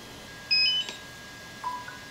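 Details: DJI Phantom 4 Pro drone powering on after its firmware was reverted to V01.01.0203: a quick run of three rising beeps, then two softer chirps a second later. Normal power-on tones.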